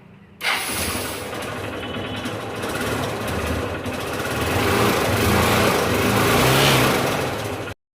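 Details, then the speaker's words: CBZ Xtreme motorcycle, self-start only, after starter motor repair: starter catches at once, single fires cleanly and settles to steady even run rising smoothly with throttle; repaired starter works. "तो दोस्तों गाड़ी तो start हो गया है मेरा।"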